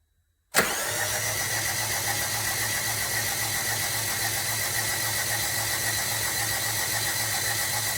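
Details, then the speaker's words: 2002 Rover 75 / MG ZT engine cranked by the starter with spark plugs removed and fuel pump fuse pulled: even, quick spin with no compression pulses, knocks or scrapes; cranking sounds normal. "H at least I couldn't sense anything out of the ordinary"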